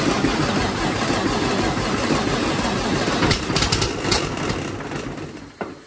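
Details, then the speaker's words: First start of a new Detroit diesel, with a used Detroit computer just wired up: starter cranks briefly, then the engine catches and settles into a steady, heavy run; a clean first start, oil pressure reported at 65 psi. "It's alive, baby! Woo! Holy crap, there she goes. She's alive."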